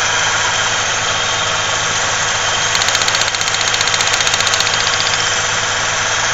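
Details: 1995 Ford Ranger 3.0L V6 with heavy vibrations and strong gas smell: loud, uneven idle with a shaky pulse about three beats a second; rough idle, possible misfire, spark plug wires being checked.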